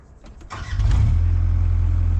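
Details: 454 Chevy K20 square body, carbureted, started in freezing cold on a jump box with the choke cracked. A faint cranking rattle catches after about a second and settles into a loud, even low rumble. A slow cold start.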